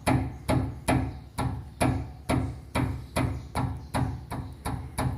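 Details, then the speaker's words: Chevrolet Corsa front suspension, worn sway bar link struck by hand: a dozen sharp hollow metallic knocks, about two a second; link has play, causing front noise while driving. "Aí quando ela estraga, ela fica fazendo um barulho, rangindo. Vou bater nela aqui pra vocês terem uma noçãozinha aqui, ó. Olha o barulho que faz."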